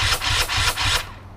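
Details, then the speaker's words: BRC 500 engine kit in 2015 Husqvarna TE 250 frame, first start on electric start with choke on and smart carb, TPS and power CDI fitted: harsh rasping bursts about four per second; cranks slowly and doesn't catch before decompression release is tried. "does crank it but slowly"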